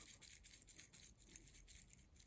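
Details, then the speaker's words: Old Porsche 986 Boxster headlight switch shaken by hand: dry, sandy rattle in quick bursts from loose plastic fragments; the switch's internal plastic has broken apart. "one way you could tell if a switch is old is by shaking it and you can hear all the plastic inside is broken apart sounds like a bunch of sand in there"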